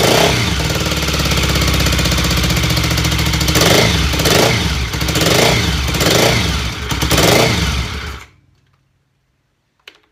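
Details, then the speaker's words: BSA Fury SS (E35SS) twin after rebuild, during carb tuning: uneven revving in surges about three per second, lagging on pickup before cutting off. Slow throttle response traced to the left cylinder (top pipe); owner suspects a slow carb slide. "it is still a bit slow picking up and it's definitely the right hand cylinder"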